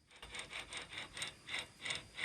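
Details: 1994–2004 Mustang front wheel hub turned by hand with the brakes removed: rhythmic dry rasping, about three scrapes a second; a worn wheel bearing, fixed by installing a new hub assembly.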